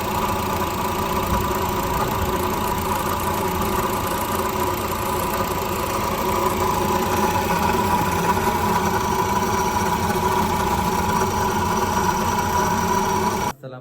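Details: Car engine running at idle: a constant mid-pitched whirring hum under the engine, steady and unchanging; water pump bearing noise.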